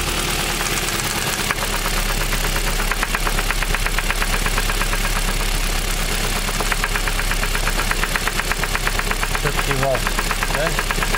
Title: Стук в движке, как стучит провернутый шатун.